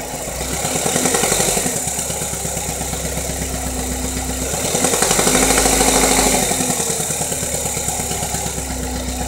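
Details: 2.2 Ecotec petrol engine with a steady knock at idle, about three a second, quickening as revs are blipped; persists after replacing cam phasers, timing chain guides, tensioner and cam actuator solenoid. Owner asks for ideas.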